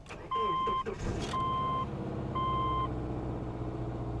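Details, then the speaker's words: Car at Copart: three chimes, quick crank and catch, then an even, slightly high idle with no ticks or misses; engine sounds healthy. "Engine sounds good. Idling idling a little high. Hopefully that will come down."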